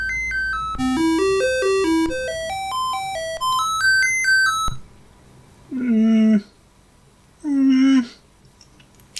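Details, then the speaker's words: Commodore 64 running its sound test plays stepping beeps and two pitch sweeps, but the tune sounds thin with a voice missing. A faulty SID chip is suspected, and game music also cuts out. "kind of missing a voice there aren't we"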